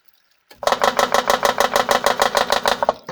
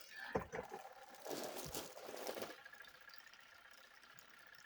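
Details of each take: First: Vivohome portable washing machine after fitting a too-tight replacement belt for weak agitation: rhythmic chattering thump about three times a second, from the belt pulling on the impeller pulley. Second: Vivohome portable washing machine after replacing the worn, loose belt and spacing the agitator with a washer: steady motor hum with even churning about three times a second, no rubbing or scraping; agitator turning with more force, running normally.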